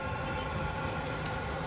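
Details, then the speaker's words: Chinese diesel heater run on used waste oil for two years until it would not start, restarted after cleaning out: steady, even combustion roar with a low rumble and no pops or surging; burner firing cleanly, smoke and heat from the exhaust. "we've got smoke coming out you can't see it but there is smoke coming out of that she's fired you've got heat coming out of there"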